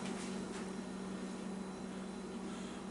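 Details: A newly installed Harbor Breeze ceiling fan switched down to a slower speed. A quiet, smooth, steady hum with no rubbing, clicking or wobble; it runs cleanly on the lower speed.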